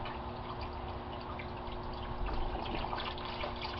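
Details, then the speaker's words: Normal aquaponics grow bed siphon drain near the end of draining: uneven dripping and trickling over a steady low hum as the outflow slows, then gurgling breaks the siphon and the water stops. "And there's the gurgle, and one more, and that stops the siphon, and the water stops."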